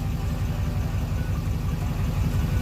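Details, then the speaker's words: Duramax diesel after Hot Shot's Stiction Eliminator oil treatment; even, low idle with a steady rhythm and no surging or hunting, smoother and quieter than before, when idle would wander around 690 rpm; owner notes less turbo lag. "But it just runs so much smoother, and it's a lot quieter."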